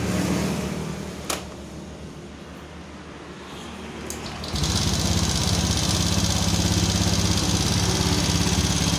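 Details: Honda Vario 125 LED scooter with rough engine noise, oil slightly low: quick steady light ticking about three knocks a second from the cylinder head at idle; caused by worn rocker arm and rocker shaft.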